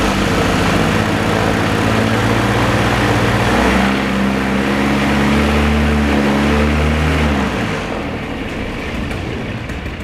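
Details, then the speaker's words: Rebuilt paramotor engine after mid-flight failure, first run after assembly: strong even two-stroke drone with a steady low beat holding speed, easing off near the end; healthy, normal running. "Kicking back a little bit, but we'll get it started. It wants to start. Oh, it sounds good!"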